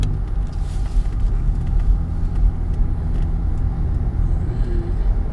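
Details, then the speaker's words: 2005 Buick Terraza after 4T65-E transmission replacement, test drive on wet streets: smooth low road rumble pulling away, good 1-2 shift, no growl or hum rising with speed; wheel bearings quiet, no noise. "I got no noise."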